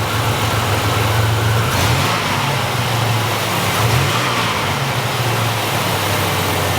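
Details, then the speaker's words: 1987 Buick Grand National, junkyard car, after new fuel injectors, fuel pressure regulator and ECM chip; two clean throttle blips rise and fall crisply with no stumble or hesitation; the new regulator is leaking fuel. "Oh yeah, no hesitation there. Running good, real smooth now."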